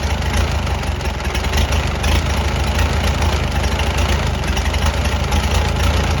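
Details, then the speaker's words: Farmall BN tractor after magneto and kill-switch wiring, out of gear, not yet warmed up: low thumping idle with slightly uneven beats while the magneto timing is tweaked to smooth it out. "i'm going to turn just a little bit more and then crank it and then see if i can move it smooth it out i might let it warm up before i actually do too much adjustment i'm going to get it where it'll sort of idle"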